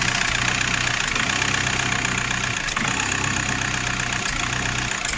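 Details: VW Golf 4 diesel at idle with brief sags and dips every second or so; the intake shutoff flap intermittently snaps partly shut from a broken valve wire, causing stumbling and vibration.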